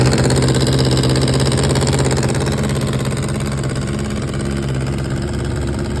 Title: 2004 GSXR 600 Running *MAJOR Exhaust leak*